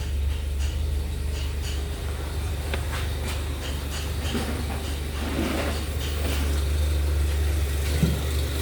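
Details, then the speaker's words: Peugeot 307 SW with anti-pollution fault warning: even four-cylinder idle, steady low rumble with no stumble or missing beats; all four cylinders running evenly, no longer misfiring. "Kalau mesin ini udah rata ya, hidupnya udah rata per silinder per silindernya itu 1 2 3 4 udah enggak pincang lagi."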